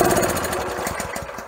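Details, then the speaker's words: Pressure washer's Honda engine before repair, at full throttle with the air filter removed: turning the choke off makes it chug with uneven pulses that slow and fade until it dies. Air filter ruled out; a clogged carburetor jet is suspected. "And she still dies And if we look at the air filter, foam looks okay, air filter looks really good So we know air filter is not a problem."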